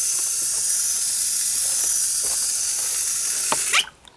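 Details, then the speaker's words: Landscape drip irrigation system, water shut off at gate valve: steady high water hiss for a few seconds, then dies abruptly; normal shutoff hiss. "you may hear it like this for a few seconds no one gonna shut off here in a minute"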